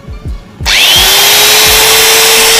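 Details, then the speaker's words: New Bosch GWS 060 angle grinder, made in China, first run at no load: clean start, quick spin-up to steady high whine with even hiss, no rattles or grinding; sound fairly smooth, gearbox not hot, normal healthy run. "ih suaranya lumayan halus vs ini juga tidak panas tidak panas guys"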